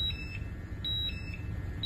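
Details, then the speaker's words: Air quality gas monitor with sampling tube at the corner of a mouth under a mask, oxygen reading dropping to 17.4% (normal 20-21%): high shrill beeps in quick pairs about every second, low-oxygen hazardous-atmosphere alarm. "you can hear the alarm going off that means that there is a hazardous atmosphere"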